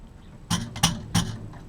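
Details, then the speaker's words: Rewinding a Tek 585A mains transformer, three turns left on the winding: sharp snapping bursts about a third of a second apart as the wire snags and jerks free on the narrow supply bobbin; wire binding. "hopefully you'll be able to hear The Binding that's going off there I'll try and get you a better shot bit hard to because you're writing me why right that's really binding up"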